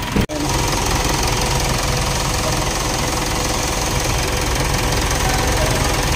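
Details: Mitsubishi Montero Sport 4D56 diesel after timing gear correction for low power: idles with a steady, even clatter and no irregular knock or misfire.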